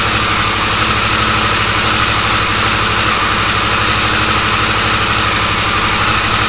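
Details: Harley-Davidson Sportster S, battery recharged after key-fob drain, started via key-fob code entry: steady, even idle rumble with no misses, knocks or hunting; normal idle.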